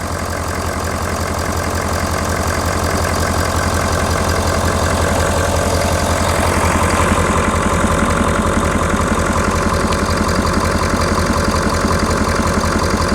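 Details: 2019 Ford F250 6.7L Powerstroke diesel, just after EGR cooler upgrade, recorded outdoors in wind: steady, even diesel clatter at idle, about three beats a second, no misses, hiss or knocks; no coolant leaking, sounds healthy.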